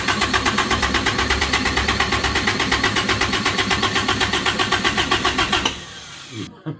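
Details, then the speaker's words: Samurai rock crawler on a new propane kit: steady starter chugging about four beats a second for six seconds, no firing; cranks but won't start because an intake plug was left out, leaking vacuum. "there's a plug that goes right here that I did not put in when I was putting all the fittings in so again no vacuum and yeah sometimes you just need to slow down uh and take"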